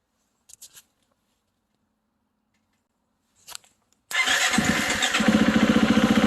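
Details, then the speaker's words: 2018 Husqvarna FE350 with just over 100 hours and its broken kill switch taped off. It is dead quiet with faint clicks, then fires on the starter into a quick idle. The intermittent no-start is suspected to come from a frayed wire in the ignition key-barrel harness bundle. "anyway i figured out where what it was it's the um it's this bundle of wires that comes from the ignition uh here the key uh barrel"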